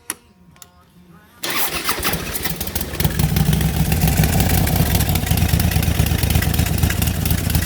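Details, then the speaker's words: DIY turbocharged Harley-Davidson Street Glide, tuned, running about 9 psi boost: warm engine cranks unevenly for over a second before catching into a deep, lumpy V-twin beat; owner notes it starts a little hard when warm. "So start it up real quick. She starts a little hard when she's warm,"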